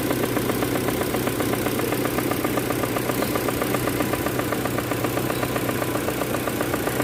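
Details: Proton Campro engine at idle: a rough, even rattle about four times a second, from a faulty AIFM intake manifold flap that causes power loss and high fuel use; the fix is replacing the manifold or fitting an adjuster kit.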